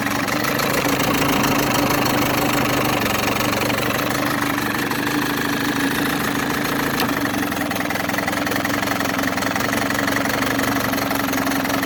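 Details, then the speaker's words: Older (probably 1980s) Mercury outboard with fiberglass hood, either 7.5 or 9.8HP (likely 9.8), new impeller and gear oil; steady, even two-stroke buzz with no knocks or stumbles; runs clean and healthy. "all right here's a really good running probably 10 horse mercury outboard"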